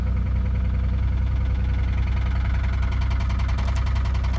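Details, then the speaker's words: Car just started at an auction yard: heavy, deep knocking at two or three beats a second over a rough idle, a suspected rod knock; oil present but apparently leaking badly. "Sounds like she got a raw knot from hell. I'm not gonna run that for too long."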